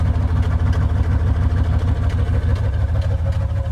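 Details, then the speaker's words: OBS GMC Yukon V8 running on a relocated two-door gas tank, restarted after tightening a leaking fuel line fitting: deep, steady burble at idle with even low pulses, no misses or knocks; leak fixed, normal idle. "she's good to go guys there it is guys she's running on the two-door gas tank guys"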